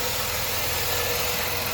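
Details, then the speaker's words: 2007 Dodge Nitro 3.7 V6, 147k miles, check engine light, codes P0507 and P0456: steady idle under constant airy hiss; vacuum leak from a holed PCV hose, PCV valve and hose to be replaced. "yep there's a hole in it PCB line I want to say not sure where that hoes go to but I know it's leaking"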